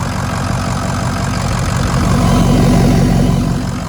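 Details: 2006 Ford F-250 6.0 diesel, idling after nearly two months sitting: deep, steady idle with an even beat, no misses or knocks. The fault was a bad IPR valve; HPOP system almost entirely rebuilt with new standpipes and dummy plugs, and it now runs healthy.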